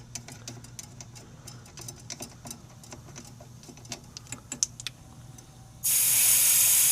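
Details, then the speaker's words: New evaporator coil for a York gas package air conditioner, opened while the distribution tube is reconnected to the TXV: quiet handling ticks, then a sudden loud, steady hiss as the factory dry-nitrogen charge releases. This shows the new coil does not leak. "They're shipped with dry nitrogen, which is great. Means there's not a leak in this new coil."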